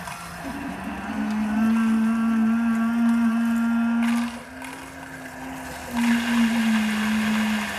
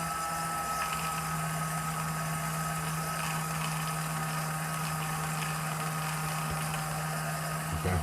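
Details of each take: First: 2021 Alpine RV, Suburban IW60RL on-demand water heater that had been cycling on and off and mooing, after repair: the pump hums steadily, wavering and dipping as bubbles pass through the hose. Air is still purging from the lines. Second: Suburban IW60RL on-demand water heater in a 2021 Alpine RV, new recirculating pump after air bled out: steady even low hum, no surging or gurgling; pump runs most of the time, circulating hot water through the half-gallon tank loop, normal operation.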